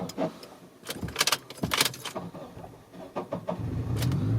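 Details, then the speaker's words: 2001 Honda CR-V, battery a few months old: uneven, harsh grinding bursts while cranking; it takes a couple of tries before catching. A loose, misaligned starter is failing and is to be replaced. "So when you crank it, see that? So hard starting, it seems like the starter is going."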